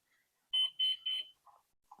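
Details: Flywing Bell 206 V3 RC helicopter controller, GPS unlocking in flight being investigated: three short high beeps then a fainter chirp; owner says it reminds that the helicopter is still on and should be unplugged.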